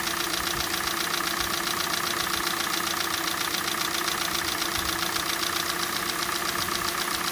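Sharp, regular knocking at about two and a half per second over a cold idle; a cold-start knock, source unknown.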